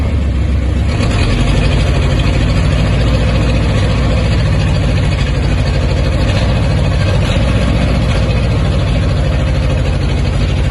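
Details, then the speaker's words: 1969 Ford F250 Ranger camper special, 360 or 390 FE V8, off the road since 2008, first start: heavy low rumble and rough chuff, no oil pressure showing and massive blow-by through both PCV valves, suspected lost compression (rings or valve stems). "however oil pressure don't see no we don't and then also we have a massive blow by leak coming through the two pcb valves"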